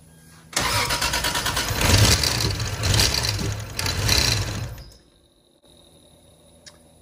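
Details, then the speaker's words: 1986.5 Toyota Supra MK3 with a freshly swapped 2JZ-GTE VVTi on an EMU Black ECU, R154 5-speed, first start attempt: about four seconds of cranking with uneven, surging firing that never settles to idle; crank and cam VR sensor pin polarity reversed, causing timing sync fault. "we definitely have a little bit of a timing issue going on but everything else is looking good"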